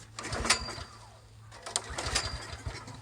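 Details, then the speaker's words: Ariens Rocket RT 8020 rototiller fitted with a genuine Honda GX390 replacing a Powerfist 13hp clone, throttle at middle, a shot of gas down the carb; a few strong pops catching briefly then dying, engine fires on primed start. "that sounds like she's gonna run guys that's a good sign that means carb job already"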